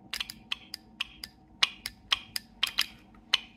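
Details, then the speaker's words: Second VVT solenoid removed from a vehicle, bench-tested with a power probe: sharp, crisp clicks about three a second against a quiet background; valve shifts freely and works normally, misdiagnosed. "Yep, so that one's working too."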